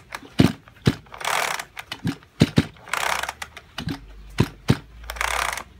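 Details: Junk Kyoritsu chainsaw, tagged for seizure and low compression: recoil pulls, each a brief whirring rush with clicks between, no firing. Cranks but won't start; cause unconfirmed, overhaul considered.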